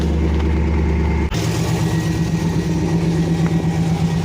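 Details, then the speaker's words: Pontiac Trans Am idling on jumper cables right after a new alternator and belt were fitted (power steering fluid had leaked onto and killed the old alternator, then the battery died); charging reading looks good, steady even idle, no misses, running better than ever. "Looks good to me. High is better than low. Running better than ever."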